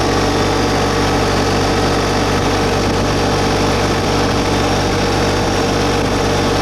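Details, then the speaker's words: New 2022 LS MT125 tractor with about half an hour, diesel idle brought up a little with loader and mower deck raised. Steady even clatter at slightly raised idle, no misses or knocks; normal raised idle. "Bring the idle speed up a little."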